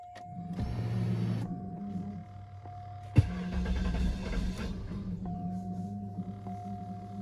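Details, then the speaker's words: 2002 Northstar, previously throwing P0300/P0121 with the idle surging up and down and the check engine light on, little fuel poured in because of a fuel leak: a low, steady idle hum; a normal idle. "Oh yeah, that's a whole lot better. Before she was shooting up and idle and just up and down."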